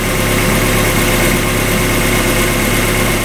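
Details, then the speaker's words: 1994 Mazda Miata with its original exhaust, idle calming down as it warms after winter storage: steady, even four-cylinder idle with no rattles, ticks or exhaust leaks; smooth and healthy. "Yeah, she sounds real smooth right now. That's good to hear. No unnecessary rattling or weird noises or exhaust leaks."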